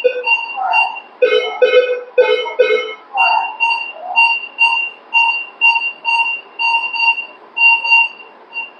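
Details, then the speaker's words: Minelab Vanquish 540 metal detector, 12-inch waterproof coil, air test with iron setting on: clean repeating two-note beeps about once a second as metal passes over the coil, normal target tone. "तर जसं मी हा metal iron on करतो तर तुम्हाला असा आवाज ऐकायला येईल."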